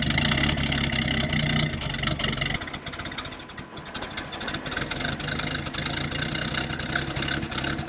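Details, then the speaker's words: 1972 Ford F-100 240 inline-six automatic, barn-stored since 1995: even steady idle with smooth firing beat and one brief dip midway; running clean and healthy, transmission engages. "this thing is running so good the transmission's going into gear"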